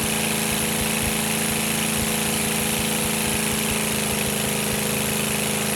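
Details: Rebuilt GEP/Navistar 6.5 diesel (GM design, block cast 2009; Scat crank, bored 30 over, moly pistons and bearings) with Stanadyne DB2831-4911 injection pump, warming toward 180°F; even clatter about four beats a second, no hunting or knocks; healthy idle.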